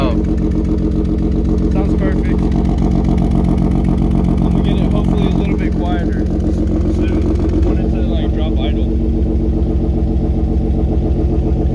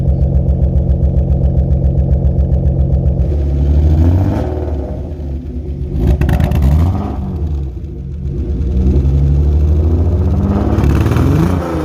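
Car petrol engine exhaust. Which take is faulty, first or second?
second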